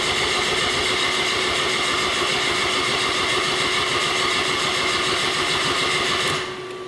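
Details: Saturn cranking with no start, no scan-tool RPM signal and tachometer not moving while cranking: even starter churn of about four pulses a second, engine never catches; suspected crank/cam sensor input problem, not confirmed.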